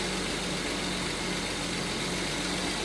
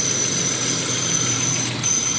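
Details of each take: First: Volvo 164E with D-Jetronic injection, after new injector wires and cleaned-up wiring: smooth, even idle with a steady low hum, no misses, knocks or hunting. Runs better than ever, normal idle. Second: Volvo 164E with D-Jetronic injection, idling just after injector work: thin, steady high-pitched whistle over an otherwise even idle. Source of the whistle not identified.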